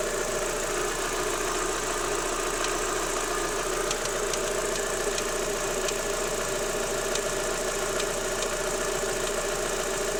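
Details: Daewoo Lanos 1.6 16V at steady idle: faint, uneven light tick about once a second riding on top. It goes away when the timing belt and rollers are wetted with water and disappeared after replacing the belt and rollers, though the removed parts looked unremarkable. Timing belt or idler knock.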